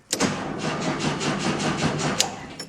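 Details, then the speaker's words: 1974 VW Super Beetle with a newly fitted 1600 engine, long-sitting starter tested after cleaning the ground straps: starter turns the engine over evenly at about four compression beats a second, no grinding or clicking; normal cranking. "I have cleaned up all the ground straps, so we will see if it cranks over."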